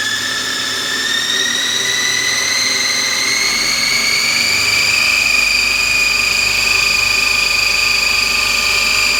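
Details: Lathe spindle speeding up: high, piercing whine climbs in pitch, then holds loud and steady near top speed; belt whining pretty badly – belt whine.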